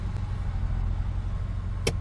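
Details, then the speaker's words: 1998 Ford Explorer that sat five years, previously idling at 2,000 rpm on its own, after high-idle fix: low, steady, even idle at about 1,000 rpm with no hunting or surging; slight screech still present. "Let's let this idle for a minute. See if it's gonna hold. That sure did calm the engine down."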